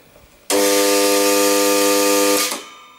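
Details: New piston air compressor, run only a few times: with the belt fitted, the motor gives a loud steady buzzing hum for about two seconds with no spin-up and fails to start; with the belt removed the motor ran normally.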